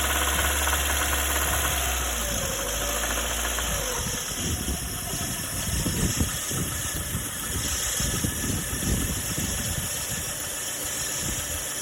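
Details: Lada Granta: a steady idle hum gives way to uneven, deep internal knocking, roughly three or four per second; suspected crankshaft knock. Engine knock at idle.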